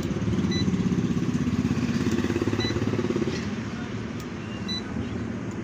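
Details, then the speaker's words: AC/DC ceiling fan circuit fed 220 V: short high beep repeats about every two seconds over outdoor rumble, no motor hum; controller signals a fault and fan won't start, cause not confirmed. "तो दोस्तों जैसा के video की शुरुआत में आपने देखा कि यह ऐसी डिसीव दफन है और इसकी सर्किट है और 220 पॉइंट्स को दिए गए थे और यह बीप की आवाज दे रही थी"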